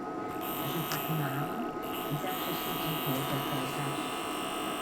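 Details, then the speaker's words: Replacement motor for a Teac V-970X cassette deck, bench-run at the original motor's voltage after the old motor's bearing was judged damaged. A faint, steady whir under a low mains hum, with no rubbing or rattle, in both directions. Normal running, practically silent. "jest praktycznie niesłyszalny z jednostronna i teraz w drugą stronę to bardzo dobrze pracuje cichutko nie słychać w ogóle"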